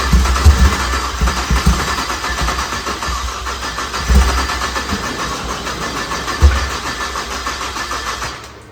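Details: BMW 335xi built motor on JB4 tune, first start after a no-crank caused by unplugged starter terminal 50: cranks, catches with strong low thumps, settles into steady even idle; no faults, clean healthy start.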